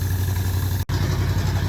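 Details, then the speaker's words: V8 converted to an air compressor, running on four cylinders with working governor: steady, even low rumble at constant speed, no knocks or obvious misses; runs smoothly. "I mean, it runs really good for only being on four cylinders. That just absolutely blows my mind."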